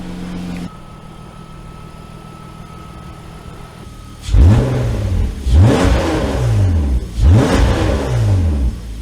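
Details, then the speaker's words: BMW E34 with new S52 engine after swapping to different camshafts: smooth idle then three clean rev blips rising and falling evenly, no knock or miss, mild valvetrain noise considered normal; engine healthy. "It sounds okay. Some valve train noise is about normal, but I think we're good, to be honest with you."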